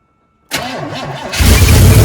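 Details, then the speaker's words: 1976 K5 Blazer, off the road since 1997, Rochester carburetor: it catches after cranking and settles into a fast, raised idle. "okay so it runs but it wants to idle really high"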